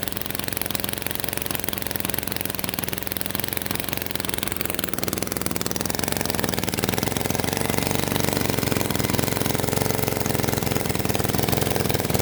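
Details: Single-cylinder lawnmower engine that sat at least five years, carburetor replaced, fresh oil and fuel: uneven puttering idle, beats stumbling and wandering instead of steady; rough idle.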